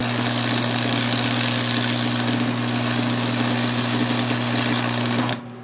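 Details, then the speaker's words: Restored Montgomery Wards Powr Kraft 240 V, 230 A stick welder (1982 date code), with a 6011 5/32 rod. A steady transformer hum under an even crackle; it welds nicely, with some vibration from sitting on a metal plate. "She's welding nice. She's making some vibrating sound just because she's on this metal plate here."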